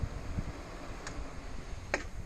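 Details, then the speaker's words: Schwing BPA500 concrete pump at start-up: a few sharp clicks over a faint hum as the solenoid releases, which is normal. No click would mean the hopper is up or an e-stop is pressed. "here it click that's the selenoid releasing so when you when you start in the morning oh I don't hear a click something's wrong"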